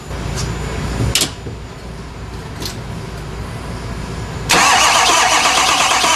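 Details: Ford F250 6.7 Powerstroke turbo diesel no-start: a couple of short starter bursts, then several seconds of steady cranking that never fires.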